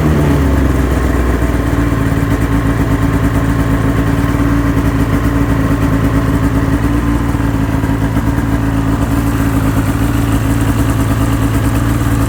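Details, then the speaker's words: 2005 Ski-Doo MX-Z Renegade 600 H.O. SDI two-stroke, hard-start fix part 2, warm after five minutes at about 2100 rpm, dropped to about 1700: idle eases down slightly then holds smooth and even, no stumbling or misfires. "okay just kicked down five minutes of idling at the higher RPM and let's kick down a little bit here to 1700 or so was idling up around 2100"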